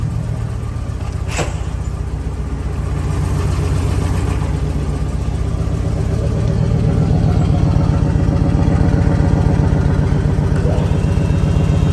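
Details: Ford F250 V10 at idle: fast even valvetrain tick over steady idle; owner suspects a lash adjuster/lifter or rocker arm problem, unconfirmed.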